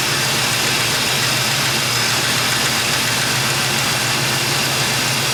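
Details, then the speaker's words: After an Edelbrock cam, lifters, timing set, Performer intake and carburetor install plus valve adjustment, a 1972 Chevy Nova small block idles even and steady with a smooth hiss, no top-end ticking or rattle; normal idle. "oh all right uh made a pretty good oil mess just in valves but it sounds good now"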